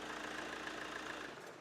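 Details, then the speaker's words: Chevrolet Cruze diesel after belt replacement, idling with AC on: steady, even idle with no rumble or growl from the belt pulleys; the earlier alarming brrr sound is gone, belt drive healthy. "നമ്മൾ ആ പേടിപ്പെടുത്തുന്ന ബ്രൂർ എന്നുള്ള sound മാറിയിരിക്കുകയാണ്"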